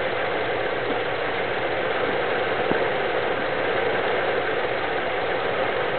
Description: '72 W200, 318, Vacuum leak causing erratic idle?